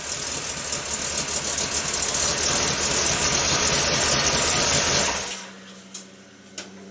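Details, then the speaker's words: 1976 GMC Jimmy V8 after gas tank install, running a bit rich: busy idle with a gentle, uneven lope before shutting off; a mild cam, not a radical one. "hopefully that sounds a little better that's what it sounds like not radical not real lobby just a real slight there's supposed to be a lot of low end torque"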